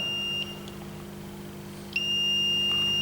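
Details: Smart circuit breaker (smart MCCB/RCBO) under test with ground connected directly and water-leakage setup: continuous high-pitched beep that briefly cuts out then resumes, the breaker again signalling a ground fault error.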